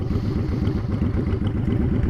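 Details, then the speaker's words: Honda Shadow V-twin after fitting Cobra Streetrod Slashdown exhaust, idling, recorded from about ten feet away at the end of a parking stall: deep, loping, steady thump with a throaty bark; normal idle. "at an idle from about 10 feet away again I'm at the end of the parking stall"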